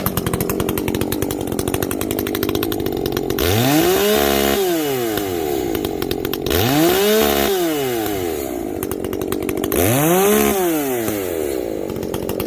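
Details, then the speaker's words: Echo CS-590 chainsaw after a carb mod and opened-up exhaust, no longer running hot: three throttle blips climb smoothly to a clean, ringing scream near an estimated 11,000–12,000 rpm, possibly the coil rev limit. It used to blubber out around 10,500; it now revs out properly. "you can hear it ring you know before it always blubbers out you know like i don't know maybe 10 500 rpms it garbles out maybe not even that high i don't know but now it's getting up there getting up there to i don't know 11 000 12 000 rpms"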